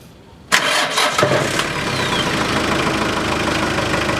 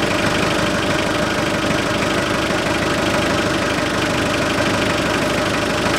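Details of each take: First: Hyundai Porter 1 2006, 2.5 turbodiesel, manual, rear-drive, 170,000 km: the starter whirrs, then the engine settles into a steady, quiet idle with no rasp or blowing from the intake. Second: 2006 Hyundai Porter 2.5 turbodiesel, manual, RWD, 170,000 km, idling then revved: harsh hollow growl over diesel clatter, louder with throttle, like a blown exhaust; lost rubber valve in air filter housing lets unfiltered air into intake.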